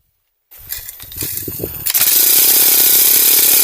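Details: Honda GX35 grass cutter, after carburetor cleaning (it previously stalled even at full throttle and wouldn't cut): fires after a few uneven pops, then settles into a steady high buzz without stumbling; runs cleanly, no longer starving.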